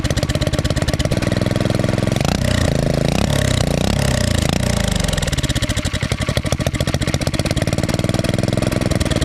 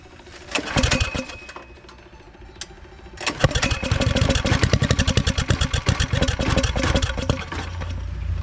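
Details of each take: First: Turbocharged Predator single-cylinder engine, first start: rapid loud firing rises and falls with revs, rough and uneven; oil and fuel flying into the cylinder make it run rich and smoke heavily; about 8–10 psi boost made. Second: Turbo Predator engine first start, after fixing a wire pinched under the spark cover that had prevented spark: a few cranking bursts, then a fast, slightly uneven thumping run that settles as the idle drops; runs fine.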